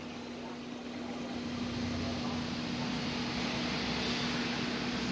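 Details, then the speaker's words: Philips HD9643 3.2-litre air fryer after repair of a food-burning fault, timer counting down mid-bake: steady, even low fan hum with a constant pitch and no rubbing or rattle; fan running normally. "Ừ thôi bây giờ đồng hồ đang đếm ngược nè sắc màu tóc thứ quá trình nướng rồi quạt quay vẫn rất là máy nha"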